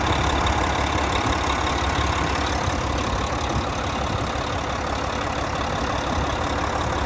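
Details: 2014 Volvo VNL day cab with a D13 diesel and 13-speed manual, 600-something thousand miles, oil filler cap off. Steady, even idle with a deep constant rumble and no knocks or misses; normal healthy running.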